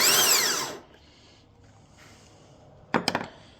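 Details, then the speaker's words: Starter from an LS4-swapped Pontiac Fiero, bench-tested off the car with jumpers to the battery; high free-running whine winding down with no engagement clunk; motor spins but pinion never throws out to the flex plate. "So, it's spinning, but it's not kicking the gear"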